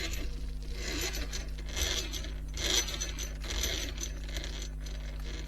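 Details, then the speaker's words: Vintage Kyosho Turbo Burns nitro RC car with a thinner metal spur gear, drivetrain turned slowly by hand: light scraping rasp about once a second; pinion rubbing against the spur. "It doesn't feel like it's rubbing. That's the thing. It just sounds like it's rubbing."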